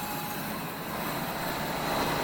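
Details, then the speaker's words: Refurbished Hobart 5801 commercial meat and bone band saw with a new blade, running on three-phase power through a phase converter: smooth, even, steady whirring hum with no clicks, grinding or slapping; normal running. "you're going to hear that humming in a minute I'm going to turn it on to show you how smoothly the saw runs"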